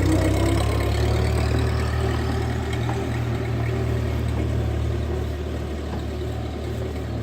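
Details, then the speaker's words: 1939 Ford 9N tractor on road test after revival, in high gear with straight-cut gears, good clutch and oil pressure; steady, even low drone with no knocks or misses, normal healthy running under load. "What an absolute sweetheart this thing is. Like they usually are."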